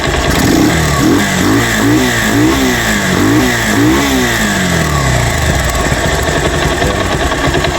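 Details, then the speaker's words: Rouser 180 motorcycle with MT15-style head, noisy engine, revved before teardown: sharp puffy chuffing and backfire popping, smoke escaping between the cylinder head and block, a leaking cylinder head gasket. "Un nagba-backfire pa yan mga boss. [Musika] lumalagapak siya tapos may lumalabas ditong usok sa pagitan ng cylinder head tsaka black."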